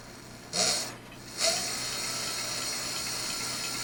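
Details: Rebuilt hub motor spin-up test at 89 V, wheel slightly out of true: two quick surges then light even hum; old harsh whine on revving gone, quiet like new.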